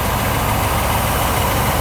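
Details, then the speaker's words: Mercedes W126 560SEC V8 after fuel distributor overhaul (clogged main passage, no fuel to cylinder 4 causing shaking) and all 8 injectors replaced: steady, even low idle rumble with no hunting, misses or knocks; rock-solid, healthy idle. "the idle is very, very stable even though it is a small tail put it here The idle is rock solid. It doesn't move at all."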